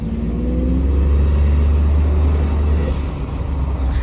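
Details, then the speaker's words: 2020 Ford F-150 EcoBoost with Injen aftermarket intake, turbo silencers (vortex generators) installed, under boost: deep steady drone building evenly with no fluttery turbulence rushing in the intake; turbo air path sounds clean and healthy. "We'll get some boost here. Sounds like it might be a little cleaner. Runs the exact same."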